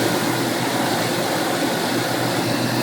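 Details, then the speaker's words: 1988 Ford Mustang GT 5.0 speed density, GT40P heads, MSD: rough, rich-smelling idle, uneven rhythm, missed beats, RPM jumping, nearly dying; random misfire despite new wires, cap, rotor, plugs, coil, TFI module; timing uncertain, cause unknown. "Look at it jumps and it just keeps missing like that. And the RPMs jump. And sometimes it'll go to the point where it almost dies."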